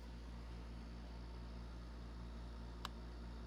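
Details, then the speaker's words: 1983 Gibson Slumbermaster 5900 BTU window air conditioner on a 90-degree day, on medium; deep steady hum with heavy rumble, no knocking, the rotary compressor shaking the walls while cooling fine; rotary compressor vibration. "if you can hear that that's the disadvantage of rotary compressors they the biggest problem with many of them is that they shake the walls"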